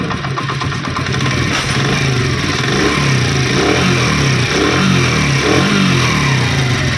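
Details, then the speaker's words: Honda CD70 after replacing worn timing chain and roller: steady single-cylinder putter about four beats a second with a few light blips, no chain slap or clatter; earlier engine noise gone, normal idle. "पहले इंजन में से चीज़ें की आवाज़ आ रही थी वो अब आवाज़ें नहीं आ रही। सिर्फ हमने 2 चीज़ें रिप्लेसमेंट की हैं जो कि आपके सामने इस वीडियो में, तो उसी की रिप्लेस करने से आवाज़ ख़त्म हो गई है।"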